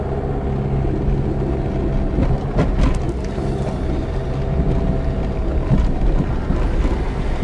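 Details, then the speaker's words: Diesel car with a broken rear engine mount after the car struck something high. It rumbles unevenly with dull thumps and shudders, the engine knocks against the body, and the gear lever shakes. "شفتوها هذ علامه ان فم سيبور منطه في حجه مكسره"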